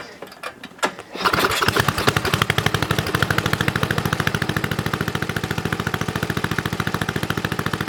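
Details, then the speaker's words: Snowflite snowblower, fresh gas, hand pull-started outside. After a couple of pulls it settles into a steady, even single-cylinder beat. Runs well, normal running. "oh i think it runs pretty sweet i know it probably didn't look very impressive"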